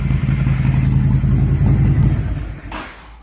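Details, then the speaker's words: 2005 Honda VTX after main jet pulled, airflow readjusted and Cobra slip-ons fitted, before the new breather: steady throbbing low idle for about two seconds, then winds down and fades out. Runs cleanly, no misfire. "All right, she runs. So next up, we'll put that new breather on, and might have to fine tune that air mix, and we should be good to go."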